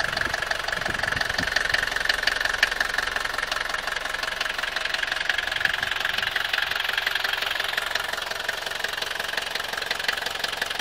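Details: 1982 Mercedes W123 200D, OM615 diesel, at idle: steady fast knocking, about three per second, over an even diesel idle; strange engine noise whose source is not pinned down.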